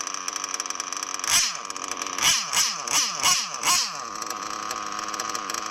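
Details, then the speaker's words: O.S. Speed B21 Adam Drake nitro engine in an RC truggy, new ceramic bearings and 6.5 mm venturi: high buzzy idle holds steady between quick throttle blips that fall cleanly back. Idle raised slightly after being too low; now a good idle. "There, I cranked the idle up a little bit. That's a good idle right there. It was a little too low before."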